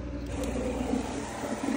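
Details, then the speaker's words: Boat freshwater system (ONSEN 3.0) with a newly installed accumulator tank, first run: low, steady pump hum with a slightly rough churning edge as the pump primes and fills the lines; afterwards the pump is judged to be working great. "so we're going to give this puppy a whirl probably going to take a minute to Prime up I don't know if we have any current water pressure but let's give her"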